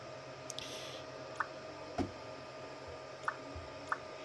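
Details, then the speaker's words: Klipper via Sonic Pad on a Creality Ender 3 V2 3D printer: sharp irregular clicks, one or two a second, over quiet motor hum as the extruder slips, moving very slowly; nozzle set too close to the bed (Z 0.4) blocked extrusion. "And then that noise that you were hearing was the extruder slipping. You see the extruder is moving extremely slow."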